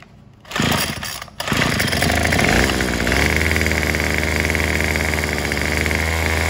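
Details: Craftsman WS210 weed eater fitted with a new carburetor, with the old bulb and diaphragm moved onto it. Steady buzzing drone that won't settle to idle or throttle up fully; cause unknown, and the carburetor replacement did not help.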